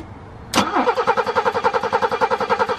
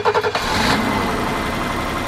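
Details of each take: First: BMW E30 with M20 petrol six, sitting in the woods 5+ years: strong, even cranking at about three and a half beats a second for over four seconds, never firing; cranks but no start. Owner believes compression is good; spark and fuel being checked. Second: BMW E30 M20 petrol six, not run for about five years, restarted after fluid checks to warm up: starter spins briefly, catches almost immediately, smooth even idle; normal start and idle, owner suspects a minor exhaust leak.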